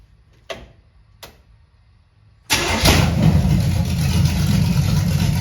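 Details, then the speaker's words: 1978 Camaro 383 stroker with Vortec heads, first start up: faint clicks, then fires into a steady even idle with slight lope; mild cam, not high compression, owner hopes around 325 hp, healthy. "i think it's got a little cam to it you can tell it's not a super high compression motor i'd be happy with maybe 325 horse out of that 383."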